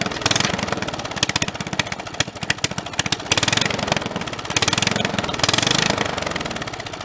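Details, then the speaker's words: Snapper 30083 mower sitting 20–25 years, after fitting a junkyard magneto: small single-cylinder pops along crisply, rising and falling with throttle, no knock; first run in decades, sounds healthy. "i can't believe that thing runs motor sounds pretty healthy"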